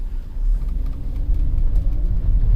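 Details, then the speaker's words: 2007 BMW X3 3.0si at wide open throttle, limited to about 10 mph; deep dull rumble stays low and flat, not revving; codes for Valvetronic servomotor sluggish movement, adjustment range, thermal overload, intake VANOS, tank-venting valve, air-mass; tapping noise also present: engine will not rev. "so right now i'm at wide open throttle and this is all it's doing we're limited to like what 10 miles an hour or so"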